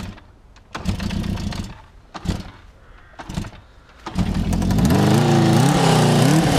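A few dull kick-start pops and coughs, then the engine catches and runs steadily, revving up and down cleanly: a healthy start.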